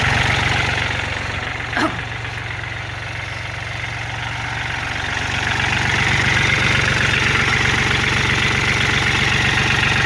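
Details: Kubota L4018 tractor diesel that would not start (starter/solenoid not working, battery suspected, terminals cleaned); after one brief click an even clatter of about four beats a second holds steady, normal idle.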